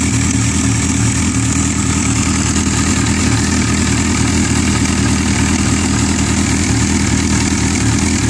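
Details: Yamaha R6 idling with a fast, loose metallic cam chain rattle: the screw-type, spiral-spring automatic cam chain tensioner is worn and can't keep the timing chain tight.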